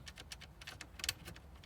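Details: 2012 Jaguar XF (X250) driver's side dashboard air vent surround: light uneven plastic clicks as the surround moves because one of its retaining clips has lost tension, rattling over certain roads; fixed by bending the clip outward.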